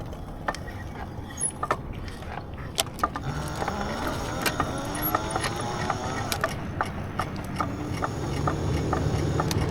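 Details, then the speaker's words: E-bike rear hub motor while riding: irregular clicking and grinding with a faint whine that rises as it spins up, getting worse over time; cause unknown, and the owner believes the motor is dying. "I don't know what that sound is. I can't tell you. I have no idea. It's getting worse though."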